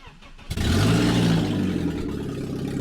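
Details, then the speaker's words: BMW E46 started and revved with no exhaust system fitted: raw, deep, booming unmuffled roar, harsh throughout; loud exhaust noise, exhaust to be installed. "what a days it's got absolutely no exhaust on and it sounds like that it sounds horrible"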